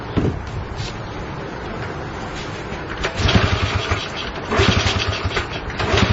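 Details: Honda CL70 single with idle set higher than before: it runs unevenly and hesitates off idle, a dead spot bogging as it sucks in air, then picks up. Jets already raised 73 to 75 and 38 to 40; cause suspected, not confirmed.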